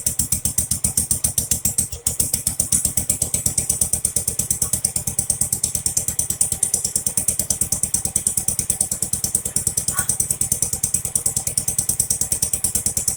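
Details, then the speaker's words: Jacobsen Chief 800 lawn tractor pulled from the weeds after long storage, first start on an old battery with brake cleaner sprayed into the carburetor: steady, fast, slightly uneven single-cylinder popping. Owner suspects it then reached dirty old fuel. "Wow! Can you believe that? It actually lasted a lot longer than I anticipated. That's amazing. Probably gotten down to the dirty fuel now."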